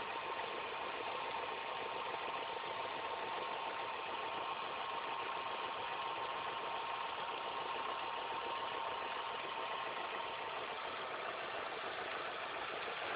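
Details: Engine idling after all belts, the timing belt and the tensioner were replaced: thin constant whine with a fine ticking rattle over a steady idle, something noisy in the belt drive, cause unclear.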